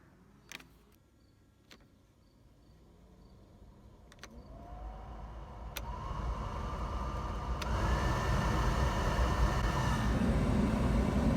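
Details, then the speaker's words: 2001 BMW Z3 replacement blower motor test run after install: fan spins up from quiet into a clean rising hum, settling to a steady whine with no scraping or ticking; sounds like it's doing pretty good, normal blower operation. "alright sounds like it's doing pretty good so we do not lock it up"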